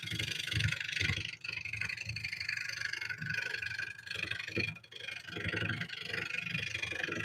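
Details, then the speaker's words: Woodturning lathe cutting a winged bowl: rough, rapid rattling buzz in uneven bursts as the tool cuts the spinning work. This is tool chatter, and its source is still being sought. "You can hear a lot of chatter, and I'm trying to figure out where the chatter is coming from."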